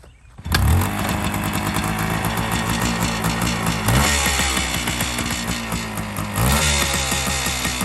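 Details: 1976 Honda MR250 Elsinore barn find, stored many years, after carb rebuild and fresh gas, started on choke: fires on the first kick into a crisp, steady two-stroke buzz with clean rev blips; runs great.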